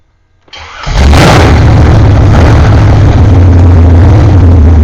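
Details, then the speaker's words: BluePrint 427 small-block Chevy crate engine, rated 540 hp, first start on a test stand: cranks briefly, catches within a second and settles into loud, steady, lumpy V8 idle; clean healthy first start. "So let's fire it up and see how 540 horsepower, what 540 horsepower sounds like."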